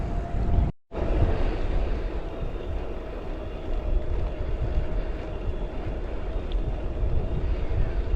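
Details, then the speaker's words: Mahle X35 hub motor on a Ribble CGR AL e at the lowest (green) assist, in a low gear with slow pedaling: a faint, steady, gentle mid-pitched whir under heavy wind rumble. The motor is running normally. "so i'm in a low gear so i'm pedaling slowly so the bike is actually doing most of the work at the moment it's just a very gentle whir"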